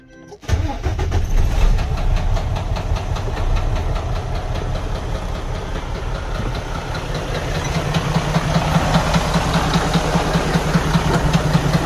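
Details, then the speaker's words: Detroit DD13 diesel engine in a Freightliner Cascadia truck runs with a loud, heavy, steady internal knock from camshaft damage and intake/exhaust cam timing out; cylinder head was replaced earlier without curing the noise. "uh this loud noise in this engine was making uh was coming from somewhere internal in the engine"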